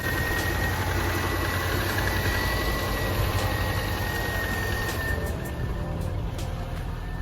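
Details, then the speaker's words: 2002 Subaru Forester, misfiring and sputtering on drive home, idling cold before warm-up: steady idle with uneven, slightly lumpy beat. Rough idle from low compression on the front cylinder, though running better than before. "so it seems like it's running better even though it's got low compression on that front cylinder we're gonna let it warm up and see what it does"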